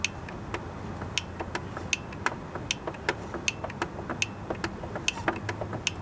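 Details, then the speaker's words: Poulan Pro riding mower with a Briggs & Stratton Intech 19.5 hp engine that would not start. After spray cleaning, the fuel (anti-backfire) solenoid under the carburetor gives crisp clicks at key on and off with the engine not running; the solenoid works again. "So that noise tells me that that thing's working again."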